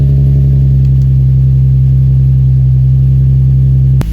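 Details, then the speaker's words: V6 idling after installing a 5/16 Motordyne plenum spacer: smooth, even low hum with no hunting or stumble; owner judges idle steady with no vacuum leak, though a belt squeak is mentioned. "Idle looks pretty steady, so I don't think there will be any vacuum leak, and I think she's running pretty good."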